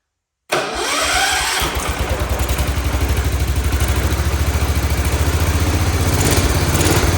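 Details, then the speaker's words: Cub Cadet 1211 single-cylinder, after starter drive repair and WD-40 and oil down a cylinder suspected seized: starter whir, then it catches and settles into a steady thump of about three per second; runs, though expected to smoke. "It's gonna be a smoker, but she does run."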